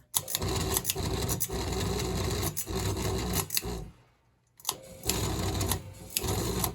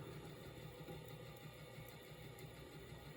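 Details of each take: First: NuTone Verandah Deluxe ceiling fan running before repair, stiff bearings: harsh rasping rattle with sharp knocks; bad vibration rattle, bearings later oiled. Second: NuTone Verandah Deluxe ceiling fan after rewiring and oiling stiff bearings: low steady smooth hum, no grinding or knocking, starts right up without hesitating; oiling is only a temporary fix.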